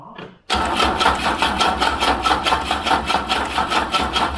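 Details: Wolseley 18/85 BMC 1800 Landcrab that sat for years, cranking on choke after fuel was dribbled into the carbs: a rapid even cranking churn with a few ragged catches but no sustained running; fuel starvation is suspected.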